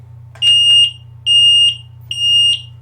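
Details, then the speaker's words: Carbon monoxide alarm sounding: loud high-pitched electronic beeps about half a second each with short gaps, repeating without stopping until the gas is purged; warning to evacuate. "it won't stop. It will go on and on and on and on."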